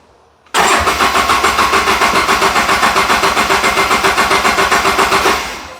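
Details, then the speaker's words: Polaris RZR 800 that won't start, no fuel pump noise heard at key-on unlike the other RZR; steady cranking about four compressions a second for five seconds, never fires; crank no-start, owner suspects fuel pump. "Just heard something. This one is not making the fuel pump noise."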